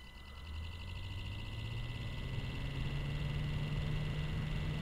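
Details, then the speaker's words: Standard 12 V PWM computer fan (Noctua NF-F12) driven by a QuinLED ESP8266 controller at 1023, essentially no PWM: buzzing stops, fan runs very loud, faint whine over a rising hum. "Okay, now the buzzing goes away, and well, we just have a very loud fan."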